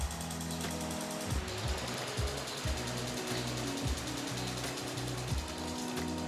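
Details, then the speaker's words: K24-swapped BMW E30, engine off, ECU fuel injector test: crisp evenly spaced clicks roughly twice a second show each injector opening and closing properly; all four injectors working. "now we need to chest test the injectors and do the same exact thing then just go to fuel injector test and we will be able to do the same exact thing and you can hear that one right so that's all we're listening for"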